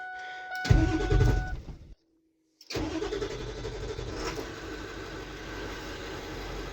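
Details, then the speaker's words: Ford F350 7.3 Powerstroke diesel that sat for a year, on its second start: it cranks briefly, fires quickly and settles into an even, steady idle clatter, and runs well. "man this thing is nice it really runs good"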